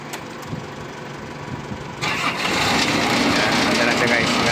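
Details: Cable reel engine with hard-starting trouble, electronically controlled, after several battery jumps and starter swap: quiet, then engine catches abruptly and settles to steady even run; clean start once battery replaced.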